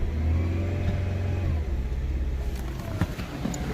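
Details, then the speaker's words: Infiniti Q50 VQ37 with 156,000 miles, just started after a spark plug change and still warming up, with valve covers leaking: it climbs cleanly when blipped and settles back smoothly, no hissing or stumble; normal revving. "Alright. Perfectly fine. Let the car warm up."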